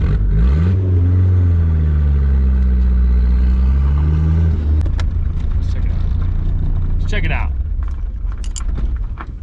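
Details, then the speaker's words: Nissan 240SX drift build: engine losing power, with a jingling noise and uneven backfire-like pops through the intake filter as revs drop; timing had already been checked. The turbo compressor wheel had failed. "it was losing power and it has a like a a jingling noise"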